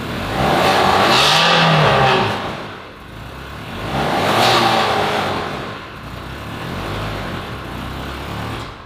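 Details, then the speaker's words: Ferrari 360 Spider V8, cold after 2 years standing, revved in two ragged, unsteady surges not pulling cleanly; engine management light flashing and strong fuel smell; owner suspects it isn't running on all cylinders, cause unconfirmed. "Oh man, this thing sounds crazy. And are you doing something or not? I'm giving it some gas, but the engine management light is flashing and I don't think it's running on all cylinders."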